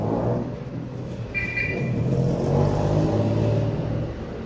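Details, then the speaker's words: Whirlpool automatic washing machine after gearbox repair, spin-cycle test: an even whirring hum rises gently as the drum speeds up, with no grinding or clunking from the gearbox. The noise is gone. "Naikot na mga ka-Jolstek. Naikot na. Wala nang ingay ka-Jolstek."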